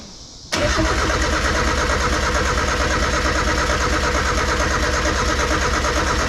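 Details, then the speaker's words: 1991 Mazda Miata after the firing order was changed again and gas sprayed in: steady starter churn with even cranking beats and no catch. The engine turns over but won't fire; the owner suspects a bad igniter. Crank, no start. "The only thing I can think of is the igniter's bad."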